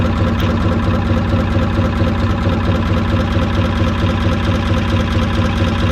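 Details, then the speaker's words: Old inboard petrol motor in trailer sailboat Moonlight, even quiet tick-over with steady low pulse about two beats a second, no clatter or misses; normal healthy idle. "this next section is for old farts who relish just to watch engines ticking over quietly and can do that for hours on end"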